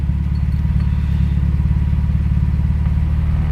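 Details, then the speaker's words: 1994–2000 Acura Integra after rewiring the fuel pump with a relay for a steady 12 volts: steady low rumble with an even, quick pulse and no misses or knocks; smooth normal idle. "a good idle that's the fuel pump it's running"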